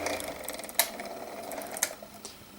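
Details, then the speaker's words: Small six-inch desk fan, model 6HK, before oiling: dry scratchy whirring hum with occasional sharp ticks; needs oil, likely dry bearing, possibly unbalanced blades. "before I do that definitely need to oil it as you can hear wow that sounds like crap"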